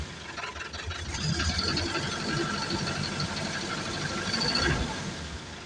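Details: Mitsubishi 4M50 diesel with low power idles with a rough, uneven beat, about three to four pulses a second, typical of a misfire; cause suspected, not confirmed.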